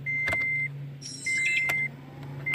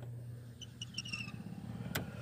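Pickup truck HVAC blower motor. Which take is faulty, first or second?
second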